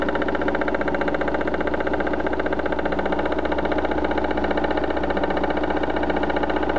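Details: BMW 316i with M43 engine at idle: sharp, even tick or knock about three per second; source unknown, owner avoids opening the engine on suspicion alone.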